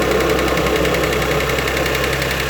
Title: Cold start ticking noise